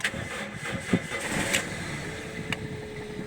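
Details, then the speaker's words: Toyota MR2 Mk3 Roadster/Spyder after fitting a Walbro 255LPH fuel pump, new battery: engine catches after a short crank and settles into a quiet, steady idle with no misses or knocks; runs smoothly, no leaks. "we go sounds good right Run's nice let's have a little look no leaks here"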